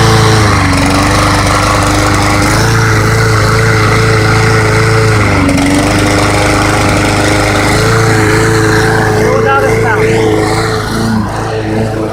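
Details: Mower that would not start, running after a clogged air intake was cleared: small engine holds steady drone with slight pitch drift; normal running.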